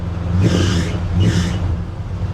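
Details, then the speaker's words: 1967 Plymouth Belvedere with an engine believed to be from about '78. The accessory belts are adjusted to the maximum and still loud. Deep rumble with two short high-pitched squeals on revs; belt squeal, to be fixed with a relocation bracket. "The biggest problem right now is the belts. Loud, maxed out. Can't adjust any more belts. These things, they're just loud."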